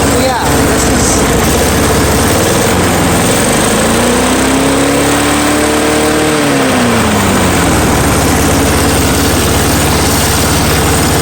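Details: Curb-find Snapper mower, Briggs & Stratton engine, started on starting fuel with air filter off after rebuild despite nicked piston and corroded carburetor: fires, pitch climbs, settles and runs steadily; normal running.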